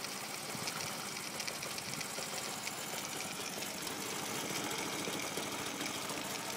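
Small single-cylinder idle sounds uneven and stumbling, with a loose clattery patter and no steady beat: a rough idle, cause not pinned down.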